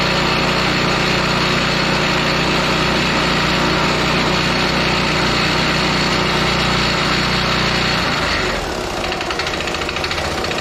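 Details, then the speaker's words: John Deere gas-engine-powered air compressor pumping at about 120 psi and working correctly: a steady clanky thump about three times a second that eases off near the end. Owner suspects a bad rod; the cause is unconfirmed. "i like to say i don't like the noise coming from this compressor it kind of sounds clanky like it maybe has a bad rod or somethin"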